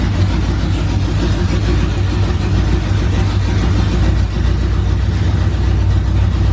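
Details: OBS truck V8 finally running after fixes, straight headers, first fire-up in the morning: loud, deep, steady rumble with no misses or stumbles. Smooth, even idle; running fine as it's supposed to.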